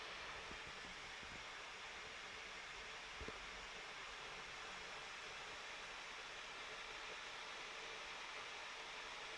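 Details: 2016 MacBook Pro with steady fan hiss under stress test: one sharp, loud pop and two fainter clicks when the warm lid is touched; owner says the pop first occurs cold, then randomly, then when touching the warm lid.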